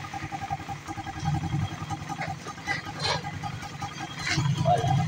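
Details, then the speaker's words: Raider 150 carb type after timing chain replacement, idling in neutral: steady, even putter with no chain rattle or ticking over the top; the earlier timing chain noise is gone and idle is back to normal. "Idle. Ganun pa rin. Balik sa normal. Wala nang ingay ang timing chain."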